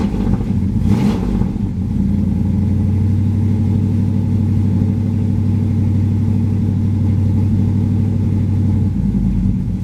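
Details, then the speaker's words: Firebird V8 cold start with no choke: deep burble, uneven and lumpy, settling toward a steadier idle near the end. "no choke apparently yeah she got a little mess anyway"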